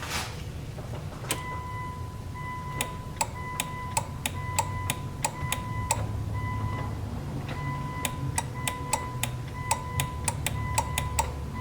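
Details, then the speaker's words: Third-gen Mitsubishi Eclipse GS idle air control valve, after spraying with brake cleaner, key on: sharp ringing clicks in quick runs, chattering intermittently but the plunger apparently not extending. "So, I recorded it with my phone and you can hear it clicking or making a noise, but it's not doing anything."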